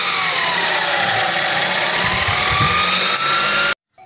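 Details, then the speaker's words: Nissan X-Trail T32 with a buzz on acceleration, drive belt removed: engine runs with a steady smooth hiss and the buzz is gone, so it comes from a pulley (tensioner, AC, alternator or water pump). "If the drip valve is removed, the buzzing sound disappears. Automatically, the sound comes from the pulleys."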